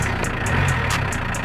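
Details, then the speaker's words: Audi 80 idling after a strange-sound scare at start, not yet warmed up (to be warmed to 90): even idle with a light regular tick about four or five a second; no rev meter; engine sounds healthy, as before. "But as you can see, the engine is running. The car has started and uh yeah, I have no uh rev meter. I can see the revs, but the sound of the engine is really healthy."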